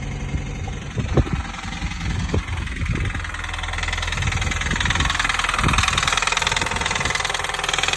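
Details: 2005 Mini Cooper S R53 engine at idle: rough running with uneven clapping knock about three per second; source unclear.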